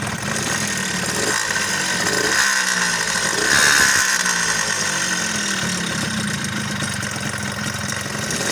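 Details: Suzuki Tornado two-stroke motorcycle engine running rough and noisy with an uneven rattling knock from a scored cylinder and worn crankshaft/rod bearing; cylinder rebored and crankshaft parts replaced.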